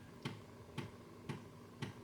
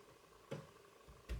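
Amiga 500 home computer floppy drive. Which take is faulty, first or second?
second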